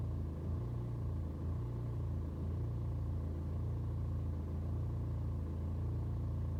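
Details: BMW 120d N47 diesel on a cold start: low rumble swells and sags every second or so for over 2 minutes, hunting and rough; no issue on a warm restart, scanner gives no helpful codes.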